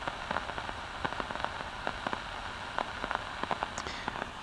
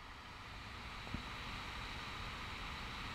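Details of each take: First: LM1875 amplifier chip running at open-loop (extremely high) gain: faint random crackles and pops over a quiet hiss at irregular timing. Burst (popcorn) noise from a defective IC. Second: Good LM1875 amplifier IC on an 8-ohm load at low supply voltage, with no heatsink and no input signal: only a faint, even hiss at any supply voltage. No popping, unlike the defective ICs.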